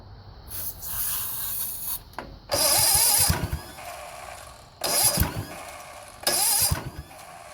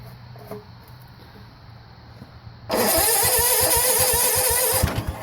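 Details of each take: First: 1970 Sears Suburban tractor with a 16hp OHV Tecumseh engine, after a no-spark ignition repair, fires and runs in several strong bursts with short pauses, catching cleanly each time; normal running. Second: 1970 Sears Suburban tractor, 16hp OHV Tecumseh, after a no-spark magnet repair: starter cranks, engine fires once or twice then dies with the throttle closed; spark and fuel in the carb throat confirmed, and the throttle cable is found not held in.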